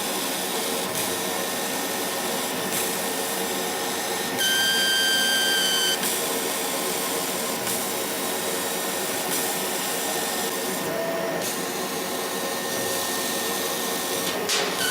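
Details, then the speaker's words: Laser cutter whistling while cutting material: steady fan hiss with a thin high whistle for a second or two; owner says the beam itself squeals at the nozzle exit, not air or compressor, with milliammeter reading changing; cause unexplained. "Это именно писк лазера. Может, я что-то не так понимаю или не слышу, не могу объяснить более научно это явление, но звук издает сам лазерный луч."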